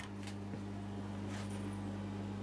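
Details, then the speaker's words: Hoover A3308 washing machine: steady low hum starts the moment it is switched on with no cycle running, drain pump running constantly; programme board works, further fault suspected. "and if you notice straight away the pump is already on so there's some more problem going on"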